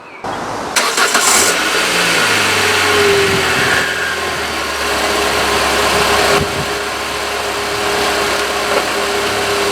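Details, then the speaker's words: Peugeot 206, engine not fully cold: brief crank, catches promptly, flares to high idle then settles smoothly; normal start and idle. "we starting the engine so see if the sensor is working we should see the engine uh take RPM and uh slowly um goes down which will go up have an high high idle and then uh slow down slowly slow down"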